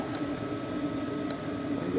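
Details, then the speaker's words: New 2025 Hcalory diesel heater running on a 15°F day after being primed: quiet, steady fan whirr with only faint, sparse fuel pump ticks in the background. Running normally. "all all three of these H H calorie units once you have the Prime on them once they're full of fuel uh that fuel pump ticking sound goes pretty much away it it's just a faint background sound that you have to work to hear"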